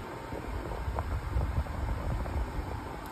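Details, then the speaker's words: Hisense portable air conditioner, compressor kicked in, swing mode on: steady low hum with even airy rush, no knocks or rattles; blowing cold air, good refrigeration, normal running. "really nice little portable unit it's running really nice you guys can hear the motors running and the compressor has kicked in so you can tell that this unit is blowing really nice cold"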